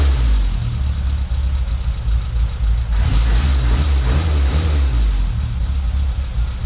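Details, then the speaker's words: Toyota Tercel wagon with swapped 4A engine and carburettor, just after fitting a Schneider Racing regrind cam with valve springs: deep, uneven choppy loping idle with a brief blip, rough but healthy. "Jerry it chops better than my truck what the hell pretty freaking s it's ridiculous it's absolutely insane"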